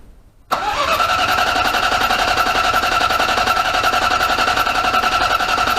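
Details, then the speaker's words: 1998 Ford Ka, rebuilt Endura 1.0 8v engine before first start, oil pressure gauge fitted: starter spins engine evenly at three to four beats a second with steady whine, no firing; healthy cranking to build oil pressure, which rose. "como vocês viram aí eu dei lhes motor girar o motor de arranque que eu queria ver se ia levantar a pressão de óleo"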